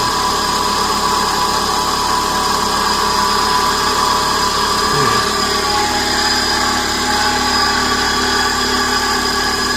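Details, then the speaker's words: 2000 Chevy Metro automatic at idle: constant droning growl, steady and unchanging, seemingly from the transmission side. Transmission howling suspected, no fluid leak found, fluid level to be checked; not confirmed. "no sounds there a horrible sound a growling you can probably hear"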